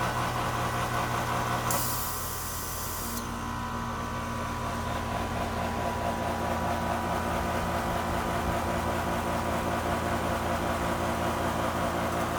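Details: Goodman AC unit, only two years old: short hissing rush right at start-up, then settles into a steady hum with a faint tone; abnormal start-up noise, cause unknown.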